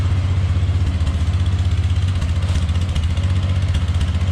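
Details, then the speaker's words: 1999 Polaris Sportsman 500 ATV, cold, after fuel pump replacement and reassembly: low, even thumping idle at about four beats a second, steady, no misses or stumbles; cold-blooded but runs good; normal idle. "now she cold blooded but starts and runs good yeah sounds pretty"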